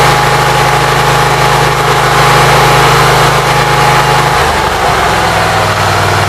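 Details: Briggs & Stratton Vanguard engine with Briggs carburetor, cold, run only 5–10 minutes after rewiring, about 50°F outside; smooth even beat settling to a lower even note, charging voltage about 13.3–14; normal idle, runs pretty good.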